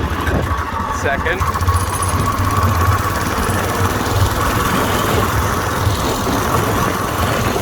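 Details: Whizzer small motorbike on a test ride after a new overdrive gear and pulley, shifting up from first: continuous steady drone under wind, no misfires or grinding, third gear working best; normal running under load.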